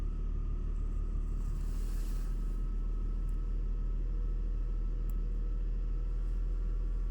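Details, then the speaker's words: BMW X5 E53 3.0 petrol, warm engine with an intermittent whistle: just restarted, steady low idle with an even rumble and no whistle at this moment, running smoothly. "вот сейчас завожу [музыка] свиста нет работает ровно все Хорошо"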